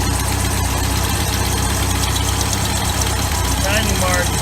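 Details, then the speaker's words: 1981 Sea Sprite boat, OMC 140 hp inboard, at idle before timing adjustment, checked with timing light on front number 1 plug: steady low idle with an uneven, slightly lumpy beat; ragged because ignition timing is too far advanced. "It's too far advanced right now. That's why it's running a little ragged."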